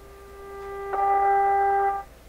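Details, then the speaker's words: Canadian Westinghouse Model 636 radio tuned through a signal generator test tone: hollow tone swells in, wavers about a second, then cuts out abruptly; intermittent two-state bad behavior, owner suspects a capacitor issue. "Oh. Okay, so that's back to its bad behavior again."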